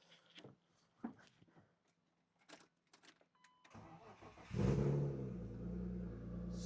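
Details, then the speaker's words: Crashed BMW E36 whose battery was thrown out, jumping alone failed, started after fitting a battery: a few clicks, brief starter crank, engine catches at once and settles into steady, even running; normal start. "I put a battery up to it and yeah, I guess it just needed a battery. The jumper alone won't pass current to it. So, if I start it up, should start right up."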